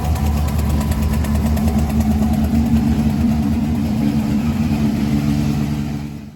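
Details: 2016 Chevrolet Camaro, 6.2 LT V8, DOD deleted, 82,000 miles, cold start through cat-back exhaust: loud exhaust drone with faint quick ticking underneath at about three per second, from failed lifters.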